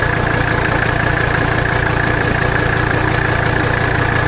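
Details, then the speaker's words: 1985 Mercedes 300D diesel at idle, engine loaded while bottoming the nut and adjusting idle during rack damper bolt adjustment; heavy lumpy beat about two a second, idle stays rough — the work did not fix it, no vacuum leak found, cause unknown. "We're going to make our adjustment to idle. You see that? Watch. You hear it in the engine too. Really rough."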